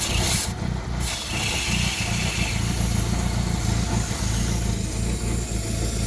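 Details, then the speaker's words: Engine with fault codes, running badly and lacking power, steady low idle rumble that dips and stumbles as a hose is pulled to create a vacuum leak; fuel trim dropping, suspected running rich, not confirmed. "it's running even worse now see my fuel trim is going down like we see on the data monitor right so what i'm going to try to decide to even it up if i'm having more fuel and less air"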